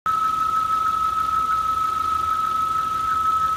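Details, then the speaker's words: 2002 Volvo S60 engine idling: steady high whistle from a vacuum leak at the failed PCV oil separator, disappears with oil cap off, not the alternator; fix needs intake manifold removal to replace the separator. "the oil cap off. The noise goes away. It's a vacuum leak in the motor, not an alternator. Okay, that whistling noise is part of the PCV system, the oil separator right there."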